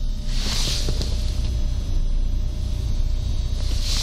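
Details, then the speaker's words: Honda Accord 7 with 300,000 km, engine idling with the lights switched on: a thin steady buzz and crackle from an added head-unit install picking up interference from the car's electrical system, installed without galvanic isolation. "Слышите такой зумер, треск такой? То есть идёт какая-то наводка по сети."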